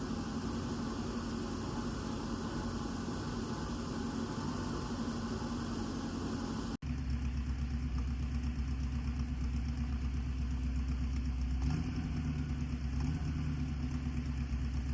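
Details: 1963 Chevy C10 small-block V8 with exhaust just completed: even low burble at idle, steady rhythm, no knocks, ticks or exhaust leaks; healthy normal idle.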